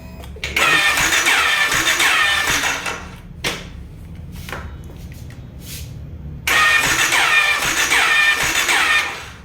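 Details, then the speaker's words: Jawa/Yezdi self-starter: the starter motor whirs freely in two high-pitched bursts of about three seconds with no cranking beat. The one-way starter clutch is slipping and not turning the engine. "रहा हूं मैं जो की घूमने पर जो की अंतर्गत राय साइड में एक कैट रहता है जो की घूमता है यह जो मोटर इसको घूमता है फिर वैन वे जो है यानी इसको फिर फोन पर क्लच को घूमता है तो जो की ये इसको घुमा के बाइक स्टार्ट नहीं कर का रहा"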